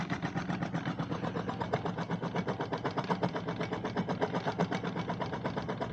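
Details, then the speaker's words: DIY 12 V electric kayak outboard motor running with steady hum and a fast, even rasping pulse about four per second, grinding from a bit of RTV rubber stuck down the shaft tube. "You'll hear it grinding a bit. There's a bit of RTV rubber got stuck down the pipe, but"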